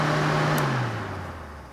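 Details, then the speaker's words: Cooling fans running normally when powered directly through a relay tester in place of the relay, bypassing the computer. A steady motor hum sinks smoothly in pitch as the fans spin down after switch-off, so the fans and wiring work. "now i control the fans not the computer not anything else and i turn on the switch there you go"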